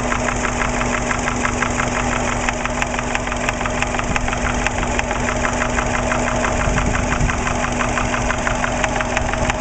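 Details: Subaru Impreza EJ20 at idle, oil pressure 30 psi: sharp, uneven knock about three times a second, loudest at the top of the passenger-side head above cylinder one. It comes and goes by day, started right after a startup, and drained oil showed no metal. Cause unknown.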